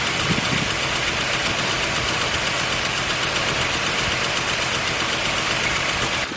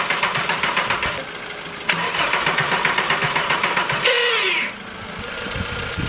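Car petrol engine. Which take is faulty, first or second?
second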